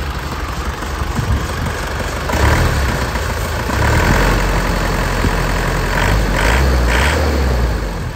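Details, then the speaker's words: 2004 Isuzu Panther LS diesel started first try, engine otherwise smooth: over the idle a rough, uneven scraping chirp about four times a second from the old, never-replaced fan belt, likely worn with age and due for replacement. "Suara srek srek srek ini suara valbetnya ya. Jadi fbadnya ini belum diganti. Usianya sudah tua."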